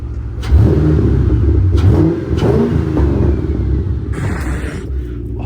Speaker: Should we give her a cold rev? If she survives the cold rev, I think she's fixed.